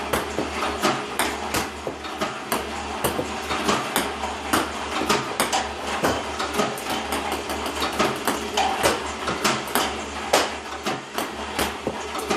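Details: iPong Pro table tennis robot, 4 weeks old with about 2 hours run time, using clean Joola 40mm balls with the power cord fully plugged in: sharp, uneven clicks and clacks with irregular gaps between shots; misfiring is becoming more frequent.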